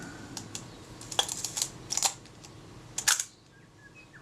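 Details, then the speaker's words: Kodak Retina Reflex type 025 after the shutter release fix, with meter, release button and top cover refitted. Crisp, consistent clicks of the shutter firing and film winding in quick succession; film advances correctly every time, a normal release. "sounds much happier the film advance correctly every time"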